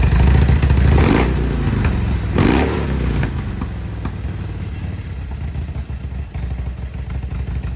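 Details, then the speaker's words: 2002 Harley-Davidson Road King Screaming Eagle (FLHRSEI) with engine light on, lumpy V-twin idle with stumbles, pops, backfires; revs rise when carb cleaner is sprayed at the intakes, misfire from intake air leak. "I'm going to spray some carb cleaner back here by the air intakes. Hear it rev up? Sucking air."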